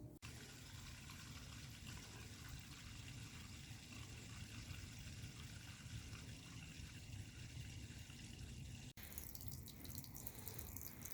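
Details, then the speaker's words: Rheem electric water heater (PROE50 T2 RH95 / 82VH2-2) power flush after sediment bag removed: smooth steady rush from drain with no sputter or grit, nothing visible in the water; tank flushed clean. "I think it's clean I see nothing coming out of the water now on a power flush in here that's running really well it's cleaned out"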